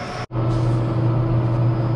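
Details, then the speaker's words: Bridgeport Series 1 2HP J-head Vari-Speed running at 1000 RPM after replacing noisy bearings, including brake drum bearing, and adjustment; previously knocking. Steady even hum, no hunting, rattle or grinding. Normal running. "okay so there it is she's sitting dead still that is 1 000 RPMs with a 1000 RPM indication up here"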